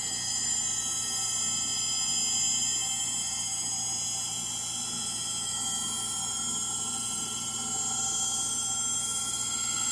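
A high, thin steady whine with a rough edge through the spin, typical of worn motor bearings in the washer.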